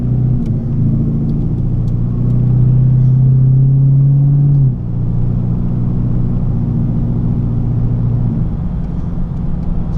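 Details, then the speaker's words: Clubsport with a rebuilt 4L60e automatic on a test drive around town; a deep exhaust drone drops cleanly in pitch twice on the upshifts to top gear, with no flare or thump, and shifts are smooth. "there we go, that's now in top gear. Those shifts were super smooth, and that's what you want when you're driving around town, something that's a real pleasure and easy to drive."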